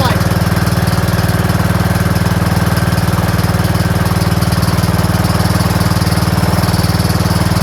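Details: Troy-Bilt Pony lawn tractor single-cylinder after valve adjustment and reverse-operation safety switch unplugged: steady very even thumping with no stumbles or skips; starts and runs healthy.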